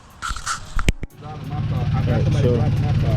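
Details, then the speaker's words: Lexus GS300 2JZ-GE VVT-i started after a timing belt and water pump job: a cranking burst, then a loud, uneven chuffing idle from a bad exhaust leak; the engine itself runs fine. "get a car start up the exhaust does have a real bad exhausting so it's going to be a little loud but just to show you that it does definitely works"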